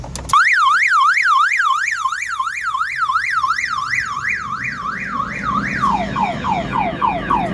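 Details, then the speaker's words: 2007 Ford Focus that won't start: a rising and falling wail at about three sweeps a second switches to chirping after the battery jumper is connected; the faulty aftermarket alarm keeps sounding despite factory lock/unlock. "You see, unlock, lock, unlock, but still the alarm doesn't stop. And you see, even so, it doesn't work. So what you need to do, or what happened, is this car have aftermarket alarm in it."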